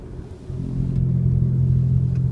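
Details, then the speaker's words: 2002 Honda CR-V while driving; deep steady droning growl from badly worn left rear wheel bearing, louder turning right as it loads the bearing, quieter turning left. Worn wheel bearing growl. "down if I turn right it loads it up puts weight on it and it makes it noisier so here's the noise"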